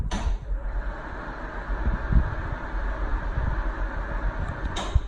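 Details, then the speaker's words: Bathroom exhaust fan after fix for screaming squeal, motor shaft sprayed with QD electronic cleaner to flush particulates: steady low even whir, no squeal or chirp; runs like new. "Now that sounds like it's brand new again. Brand new. Okay? Sounds like it."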